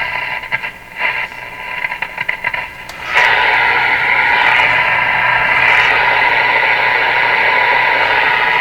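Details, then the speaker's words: Northern Electric Baby Champ tube AM radio after replacing all paper capacitors: only hiss and crackling static, no station coming through; reception still poor, with tuning capacitor drift suspected. "performance still crap on the radio"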